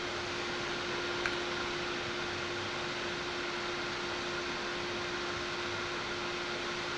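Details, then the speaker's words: Ryzen 9 9950X3D with Silverstone XED120S air cooler in FLP02 case under heavy load: loud even air rush with steady mid-pitched tone, CPU fan at full speed; normal only under extreme load, not at idle. "That's how you know if you're running hot or not. This should not be the normal noise level you hear. It should only be under extreme uh resource loads."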